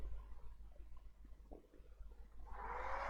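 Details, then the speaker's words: HP D16-250P1A PC power supply after replacing shorted MOSFETs, started by shorting green and black wires with 12 V present: handling bumps, then small fan spins up to a soft steady whir; repaired and working. "as you can hear it is working the fan is spinning okay so finally it's fixed"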